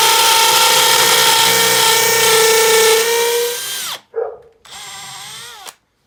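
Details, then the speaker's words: Makita XPH07 brushless cordless hammer drill in hammer-drill mode with a concrete bit, depth gauge set: steady high whine with rapid hammering buzz holding pitch under load, winding down, then a short second burst; normal hammer drilling. "I'll just line that depth gauge up of how deep I want it to go and then we'll tighten it down and now we'll drill through that depth so let's do it"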